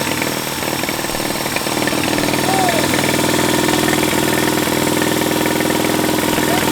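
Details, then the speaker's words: Military-surplus twin-cylinder engine running after clearing a critter nest from the intake port: even rapid pulses about four a second with steady drone, no misses, knocks or smoke; normal idle. "Yeah. All right. That's awesome, guys. >> Yeah, man. Sounds good. >> Sounds real good."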